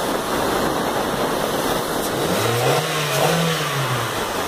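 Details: Toyota Corolla 1.8 16-valve automatic, 160,000 km, previously misfiring from a seized fuel injector, after injector service: a steady idle, then a clean rev rise and fall with no stumble or miss.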